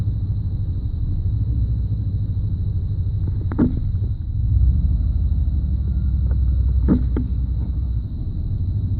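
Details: 1991 5.7 TBI engine at low idle: uneven rumble with occasional stumble and sharp clicks, fine at higher idle; random misfire, no spark on all cylinders randomly, cause not found.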